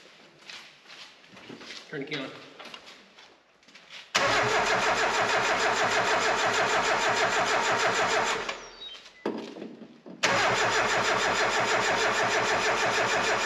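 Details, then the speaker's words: Mazda Miata after a new fuel pump (relay suspected bad): fast cranking with brief chugs on starting fluid in cylinder one but no run; dirty injectors suspected of passing no fuel. "So, we did off camera spray a little bit of starting fluid underneath the uh first cylinder spark plug because we wanted to hear it just chug over and kind of help us confirm uh it is I'm pretty sure the fuel we're not getting anything past those injectors."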